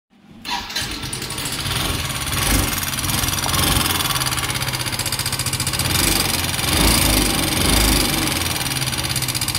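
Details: Yamaha Ray ZR 125 scooter: a rough, uneven idle with heavy clattery, tinny noise on top; the engine also smokes and is losing oil, an abnormal internal engine noise.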